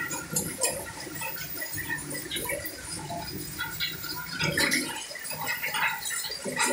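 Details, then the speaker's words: LG top-load automatic washer, inverter direct drive, 10 kg. It knocked underneath on every wash rotation until the direct-drive motor was removed, checked and realigned. Now the water sloshes in even strokes with no metallic knock. Normal wash agitation after repair. "Yan, okay na, wala na yung maingay. Kaya na kasi talaga may tumutunog sa kanya dire-diretso kada ikot. So ngayon okay na yan."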